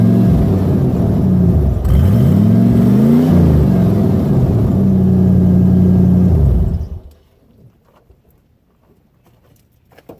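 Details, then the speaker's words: 1990 Ford Bronco Eddie Bauer 5.0 V8, 203,000+ miles, exhaust rotted off past the catalytic converter: loud open-exhaust revving with a steady whine and squealing tones rising and falling with revs; fuel pump and power steering pump whine. "It does have a fuel pump whine and a power steering whine, so just be ready to hear squealing like you've never heard it before."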